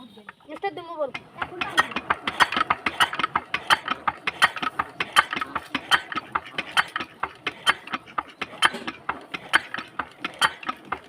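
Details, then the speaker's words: Very old 4 hp China diesel R170A, old injector nozzle tested and adjusted after fuel pump element setting: crisp squeaky chatter bursts about three a second while hand-pumped; clean, consistent spray, nozzle good. "তো finally বন্ধু আপনারা দেখলেন যে কত সুন্দর sound এবং spray চলে আসছে। যে এত সুন্দর সাউন্ড এবং স্প্রে।"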